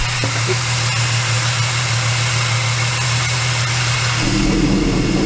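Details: Supercharged L67 VY Commodore at idle: a rough, gritty whirr over the running note from worn drive-belt pulley bearings, including the double pulley, which are to be replaced.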